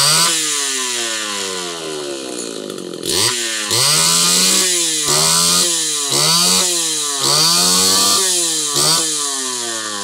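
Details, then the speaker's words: Homelite Super XL chainsaw test run after replacing out-of-range ignition coil/condenser that caused popping and cut-out at high revs: fires cleanly, revs up and down in crisp, even blips with no popping or misfire; running healthy. "okay we got it saw is not done by any stretch of the imagination I still need to go through everything clean her up and all that but popping from the ignition is long gone"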